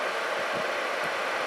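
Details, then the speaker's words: Atwood 7912-II 12,000 BTU 12 V RV propane heater, repaired by soldering circuit board; blower running on a minute or two before cycling off: steady airy fan rush, no rattles, normal. "now the fan will run for a minute or two and it'll cycle off again which means i have fixed my office heater"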